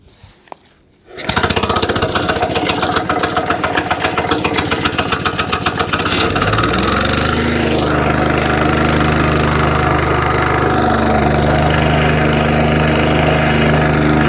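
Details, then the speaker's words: Free curbside wacker plate engine, fuel tank de-rusted with Evapo-Rust, not run for a while, started on choke; fires, pulses briefly, then settles to a smooth steady drone, ticks over lovely and stops vibrating below a certain rev, normal running. "so there you go ticks over lovely when you get to blow a certain rev that it stops vibrating that sounds really good"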